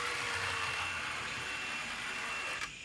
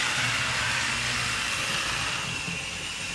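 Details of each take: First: Santa Fe model train locomotive, taken apart and reassembled, on track: thin steady high-pitched whine with light buzz while crawling slowly, a bit noisy but runs smoothly and works fine. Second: Old small electric model motor after armature and commutator cleaning: steady, even high-pitched whine with a light rattly, diesel-like rumble and no surging; runs smoothly, slight wheel wobble.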